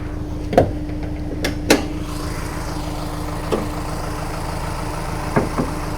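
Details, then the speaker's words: 2000 Honda S2000 track car with misfire codes for two years, warm idle before valve adjustment: uneven beat with occasional stumbles every second or so, roughness felt in the seat; rough idle, suspected from tight valve clearance. "I'll tell you what we've always seen when these things start running bad, and I can tell you right now, this is not idling smooth right now. It's got a little roughness to it."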